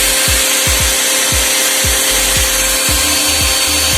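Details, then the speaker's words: Mixer grinder after repair (burning smell and flapping noise before; wires rejoined): high, even hiss and whine at full speed, no flapping or irregular beat; motor running smooth and normal. "बिल्कुल सही है, देख लो कोई आवाज नहीं आ रहा, बिल्कुल बराबर चला गया मोटर में।"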